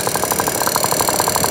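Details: Piaggio NRG scooter after new crank, crank bearings and cheap 70cc big bore kit: fast even light ticking, about thirteen a second, from top end; piston checked not hitting head, cause unknown.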